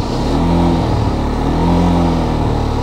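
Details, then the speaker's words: GPX Demon (Dark Shadow) China-made motorbike, engine revving after a crash dented a spot: buzzing rattle rising with revs, stops when the part is held; vibration rattle from the crash-damaged part. "তো এই crash করার পরবর্তীতে আমার বাইকের এইখানে একটা vibration আসে, just like"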